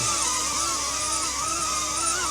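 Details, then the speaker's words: DJI Avata 2 drone on newly fitted Master Airscrew propellers, hovering in light wind: a high whistle rising and falling over the rotor hiss; owner unsure of the cause, not confirmed. "I don't know if you hear it, like a whistling sound. It is a little windy."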